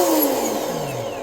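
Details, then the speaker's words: Volantex Vector 70 RC boat (about 24 inches), new to owner, first bench test before first run after binding: smooth, even electric motor whine spinning down, forward and reverse; normal motor run. "It's actually pretty smooth sounding. Forward, reverse."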